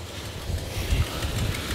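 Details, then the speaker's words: 1971 Dodge Coronet Custom with a 383 big-block V8, started without pumping the pedal and still smelling of old gas: a steady low V8 rumble at idle with even pulses and no knocks or misses, idling healthily. "but it's running good [Music] so it's a nice little 383 big block"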